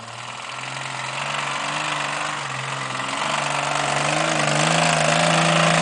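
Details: Off-road rig at wide-open throttle on a trail: heavy regular pounding about 230 per minute rising with revs, first thought ring and pinion; found to be a knocking rod, with a broken rod and spun bearings confirmed on teardown.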